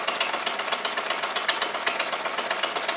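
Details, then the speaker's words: Homemade solenoid motor built from an old brush-cutter crankcase, crank and flywheel, with an extended conrod and permanent magnet, oil added: quick, even clacking with a dry scuffing edge as the loose gudgeon pin, its screw left undone, rubs the barrel. "I forgot to do up the GS and pin screw but um anyway too late now it's G the side of the barrel as you can hear"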